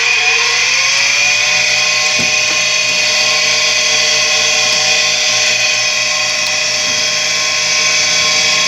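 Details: Tempstar furnace draft inducer motor with bad bearings on a warm day: loud, high drill-like whine rising in pitch as the inducer spins up, then steady; motor had been slow or stuck, sprayed with lubricant as a temporary fix until replaced.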